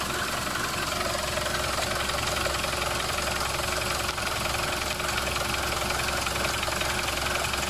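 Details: Mercedes diesel, microphone held near the engine: steady, fairly regular knock about three per second over idle clatter; cause unclear, flywheel considered but not confirmed, and the noise later stopped.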